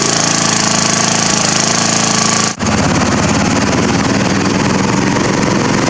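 Small engine chugging at a fast uneven beat after a brief stumble, firing irregular and lumpy rather than smooth; still running rough. Cause suspected, not confirmed.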